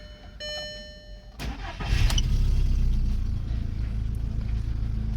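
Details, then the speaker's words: 2003 Skoda Octavia that wouldn't start with fault 01314 (engine ECU not communicating); no power was reaching terminal 30 of the main relay. After repair: chimes, a quick crank, then a steady, even low idle. Starts and runs normally. "все автомобільчик працює"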